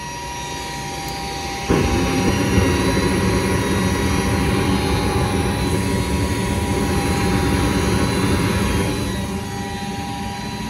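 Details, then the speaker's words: Goodman gas furnace, no-heat call: loud steady blower rush from the induced draft motor that vents the exhaust, with a faint constant whine; its bearings are a little noisy but not thought to cause the no-heat fault. "That's just the induced draft motor. You're right, it's whining a little bit. That's to vent the gas out."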